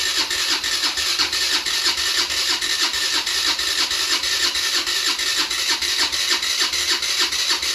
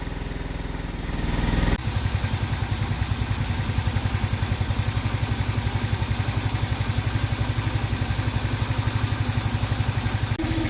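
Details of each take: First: 50cc scooter being revived, with spark, fuel and oil: starter churns in quick regular pulses, about three a second, never catching, only occasional puffs; cranks without starting, fuel starvation, carb needs cleaning. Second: 50cc two-stroke scooter just revived after a couple hours of tinkering: settles into a quick, steady, even putter with no misses; healthy idle, though it still needs more tuning.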